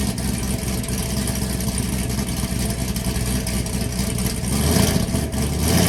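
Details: Camaro SS V8 idling with stock muffler, after exhaust gasket replaced: deep even burble rising slightly near the end, with no ticking or tapping; the earlier tick, suspected lifter, was an exhaust leak.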